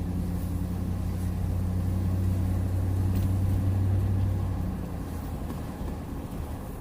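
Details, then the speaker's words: 2007–2014 GM Yukon/Tahoe/Silverado/Sierra AWD after front differential bearing rebuild, test drive with windows down: only steady low road hum cruising and coasting, no whine or howl; noise gone, quiet front differential. "so just check and make sure test drive I don't hear peep don't hear a thing"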